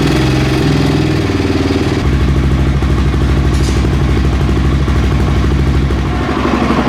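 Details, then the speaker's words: Honda XR650R single, owner's bike, after valve adjustment, started after sitting two days: fires in two kicks without choke and settles to steady even low thump about three beats a second; healthy start and idle. "that started good two kicks no show uh after sitting two days really so i'm happy with that um sounds good as always"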